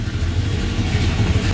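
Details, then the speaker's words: 1978 Ford Courier warm at 190 degrees, hood up, radiator fan just kicked on and cooling it quickly; deep steady idle with added rushing air from the fan. Normal idle with cooling fan running. "190 degrees. And look at that. Fan just kicked on. God, I can feel it over here."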